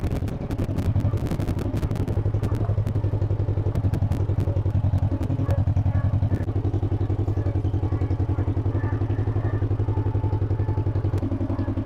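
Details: 1958 John Deere 420W two-cylinder tractor, cold start, warming up; steady even putt-putt about four beats a second, no misses or clatter: normal running.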